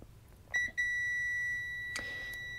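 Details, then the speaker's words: Multimeter continuity test across the battery input pads of an FPV drone ESC board: a steady high-pitched beep that holds, showing a short circuit on the board. "et donc là on entend que ça BIPE donc il y a un court circuit sur la carte"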